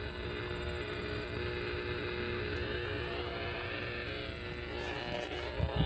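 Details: Power-line RFI heard on a receiver while direction-finding along poles near a park: a constant harsh, raspy electrical buzz. It was traced to a power pole with a bad lightning arrester, and the noise was gone after the power company repaired it.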